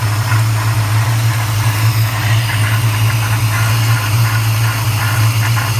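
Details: 1994 Chevrolet Caprice LT1 V8 at idle, recorded under the hood: low rumble with a faint airy whoosh and light rubbing; cause unknown, owner seeking input; whooshing rubbing noise.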